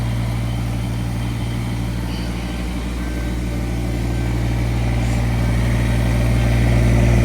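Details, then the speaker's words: Kubota BX1850 tractor, bought 2008, after replacing the ignition switch and battery terminals: steady, even diesel chug at constant low pitch with no misses or knocks; normal idle. "Let's get the key. See if we can start it up. I'll be damned. She's working again."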